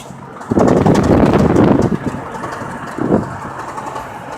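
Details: Nissan KA24DET engine revs twice with a rough, uneven knock from bad rod bearings. They failed during pulls on the drive home from work, up to 120 in 4th gear, after the throttle cable came off and the engine stalled.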